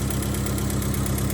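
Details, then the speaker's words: Honda EF hatch with D16Z6 swap and new Temu exhaust, warm idle, temperature rising, not surging: light regular puffing tick in time with firing; possible small exhaust leak at a bolt that may need tightening. "I think I might need to tighten that bolt right there. You got a little bit of a leak coming"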